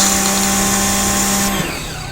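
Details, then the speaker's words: Zinsano high-pressure washer pump that pulsed on-off with trigger released; after replacing the auto pressure-switch shaft and greasing it: even motor hum under load, then clean stop on trigger release, no pulsing. "ค่าหวยได้ปืนครับตัวเครื่องหยุดครับไม่มีการกระตุกนะครับ"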